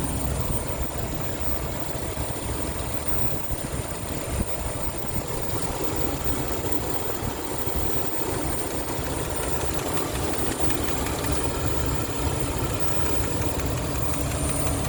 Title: what is this clicking sound coming from? 2003 Jeep Wrangler 4.0 automatic. lifters or rockers or..?